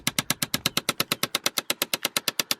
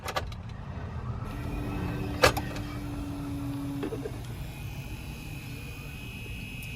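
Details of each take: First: Chevrolet Impala 9C1: rapid even plastic clicking, about eight a second, from behind the glove box; blend door actuator clicking, to be replaced with a junkyard part. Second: Impala 9C1 blend door actuator from a junkyard car, test-fitted to cure the popping/clicking, whirs steadily for a few seconds over a low cabin rumble with no popping or clicking; it now moves without popping.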